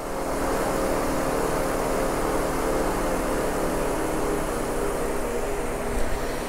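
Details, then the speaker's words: Mazda 6 radiator cooling fans running at high speed at idle from a failing fan control module that switches them on at random: a constant loud rushing roar with a faint buzz. The fans seem to vibrate, and the whole fan and module assembly is to be replaced. "and you can hear in the background hopefully that the fans have come on quite high"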